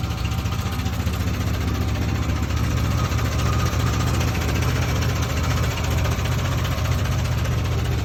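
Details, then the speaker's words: 1971 Jeep CJ5 with Buick Dauntless odd-fire V6, fires right up: steady idle with loose, tractor-like metallic clank on every beat; owner unsure if normal, cause unknown; clanking idle. "Kind of sounds like a tractor to me."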